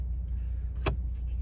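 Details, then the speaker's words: 2017 Ford Raptor idling, shifted park to drive: one sharp clunk as the gear engages, then idle settles; also clunks decelerating 4th to 3rd, seemingly from the rear end; driveline lash suspected, diff and driveshaft to be checked. "And when I go from park to drive, you'll be able to hear it. When I go from park to drive, you're going to hear a loud clunk."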